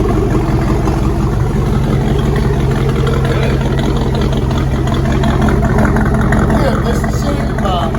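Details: Freshly reassembled carbureted engine (coil, distributor, hoses just hooked up) holds a steady even idle with a low throaty rumble, no knocks or misses. Started without priming or starter fluid, slight shake; normal idle.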